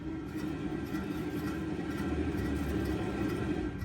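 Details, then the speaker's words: 2006 Nissan Altima raised on jacks, wheel off, brake pads removed, rear hub hand-spun with engine off: low steady droning hum with faint rough edge, unlike the other side's plain metal scraping; worn rear hub bearing, to be replaced. "hear that just that hum or that I don't know how to describe it but we go to the other side you know it's just different"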